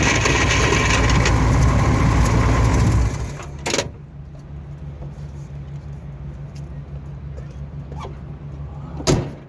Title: Th400 grinding noise